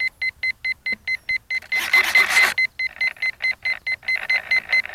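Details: P1600 ESC in the field: rapid, even high-pitched warning beeps repeating over and over, briefly buried by a burst of noise. The beeping later stopped; cause unknown.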